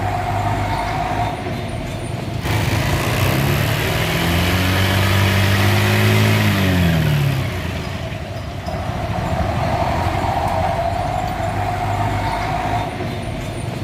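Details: Honda Beat scooter after replacing CVT gearbox gears worn out by dry gear oil, possibly from a leaking axle seal: smooth engine note rising on a rev and settling back, no grinding or rough whirring; gearbox running quietly.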